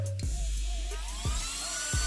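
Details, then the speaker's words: Delta 1400W server power supply powered up after repair (a MOSFET had exploded on an earlier attempt), now giving a normal 12 V output: the fan whine climbs steadily in pitch with a few soft thumps, showing a normal fan spin-up before it drops to standby from high rpm. "Oke kipas sudah mulai standby karena eh tadi pas rpm nya tinggi"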